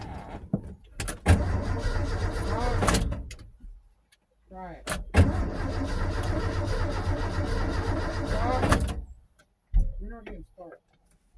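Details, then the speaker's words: 1984 Ford F-150 sitting about six years, hot-wired start attempt: two long bursts of steady cranking, three to four seconds each, never catches; crank-no-start with four of six spark plugs getting no spark. "well all right so four out of six spark plugs are not good in spark that's an issue"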